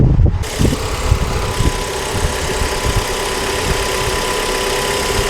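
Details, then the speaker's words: 2013 Kia Forte 2.4L 4-cylinder with intermittent crank-no-start after engine detailing; after ECM communication returned with no fault codes, it started and idles steady and even with no knocks, misses or hunting. "okay so it started and the engine is running it actually sounds pretty good"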